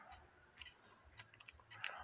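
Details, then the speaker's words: E. Schmeckenbecher musical cuckoo clock: sharp, irregular metallic clicks as the music box attachment turns unevenly, caused by its pinion gear slipping on the main gear and needing adjustment. "so now there's no clicking the clicking was the pinion gear slipping o"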